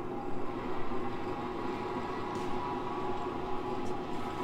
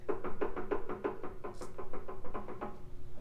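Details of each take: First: 1960s vertical milling machine that had been stuck solid, now freed and running with a slight clunk: engaging the power X-axis feed gives a steady gear-train hum with a faint whine and light clicks. The feed works normally. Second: 1960s vertical milling machine that had been stuck solid, now running again: a rhythmic dull clunk roughly three times a second as it turns over, a slight knock in the drive with no clear cause.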